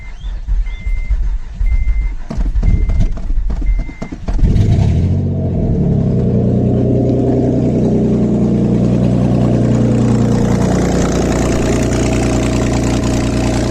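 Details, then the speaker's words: 3rd-gen Acura TL Type S: chimes, then fires into deep loud droning idle, louder than stock because catalytic converters were removed and O2 sensors cut off. "yeah no cats obviously that's why it sounds like they cut off the ot sensors"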